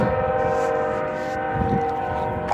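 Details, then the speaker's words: Union Pacific locomotive air horn stuck on for about five hours, recorded nearing the tracks: continuous steady horn chord with no break or fade; horn stuck on and not shutting off. "Poor horn. Oh god. That horn is tote. Oh my. That horn is not gonna stop."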